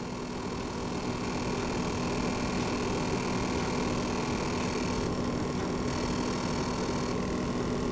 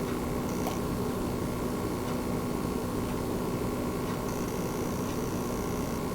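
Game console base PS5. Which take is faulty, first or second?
first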